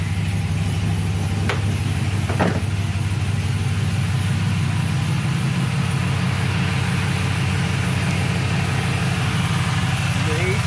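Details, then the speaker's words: 1999-02 Chevy/GMC NBS truck V8 just after an electric fan swap, started after battery disconnect: steady, even idle with smooth fan rush, no knocks or squeals; normal idle, fans working. "oh man hear that seems like it's working"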